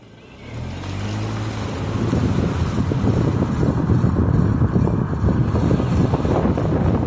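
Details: 2009 Ford Fusion, 109k, rough scraping grind rising with road speed whether straight, turning or braking, pulsing with wheel rotation, seemingly from the driver side front wheel; present six months, worsening, source not yet found.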